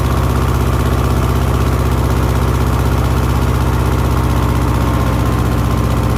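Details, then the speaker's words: 1970s Layton roller compactor, Ford Taunus V4, after sanding the rusty ignition points: steady low thrum at a fast even idle, about four beats a second, no knocks or misses; running normally, fixed. "all right that sounds like we fixed it I'm shutting it off so I can uh get the battery basically"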